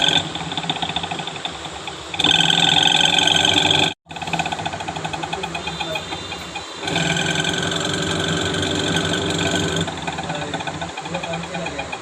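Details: Panasonic Active Foam 8 kg washing machine, empty drum on spin: loud hum with thin high whine rising and falling in steps. Noise during spin, gearbox and motor being checked; gearbox replaced.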